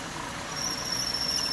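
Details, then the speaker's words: 1998 Chevy Venture: steady thin high-pitched squeal over engine hum from a glazed, slipping drive belt, first suspected as water pump bearings; spraying PB Blaster on the belt stopped it, and the tensioner seems weak. "i'm gonna spray the belt with some pb blaster here and yeah it's the belt that's the belt making that little freaking fountain and it sounds like my tensioner down there is not not really doing that great"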